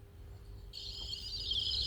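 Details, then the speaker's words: Sonic flasher circuit repair after rework: a thin, high chirp cuts in and stays feeble and scratchy, badly underpowered. The cause is unconfirmed; a full desolder and re-solder is being considered. "oh no never listen to that that's the sound of disappointment that's the sound of baby birds dying in their nests"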